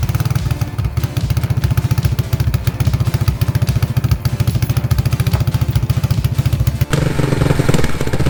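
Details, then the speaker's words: Vintage 1980 Yamaha SR250 single-cylinder motorcycle, bike pulled out of a shed and bump-started: deep, even thumping at about 3.5 beats per second with no knocks or misses. It runs cleanly and goes through all the gears. "the question of will it run yes it will run it does run it is running"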